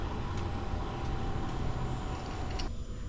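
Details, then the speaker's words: Compact VEVOR 12V diesel heater with Bluetooth, shutdown cycle after the power button is pressed. The fan hum with a thin whine keeps running to cool the unit, then winds down; a normal cool-down. "can still hear the fan barely turning in there and stuff. Yeah, I can feel a little heat coming out of here. Just help cool the unit off."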